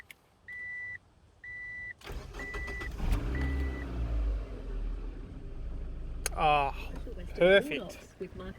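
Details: 1999 Ford Laser after repair of an erratic idle fault that bounced between 1,000 and 1,500 rpm, debris cleaned from the idle speed control valve: dash chimes, crank, catch, steady even idle with no hunting.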